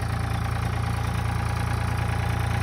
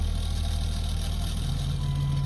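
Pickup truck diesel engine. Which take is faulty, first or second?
second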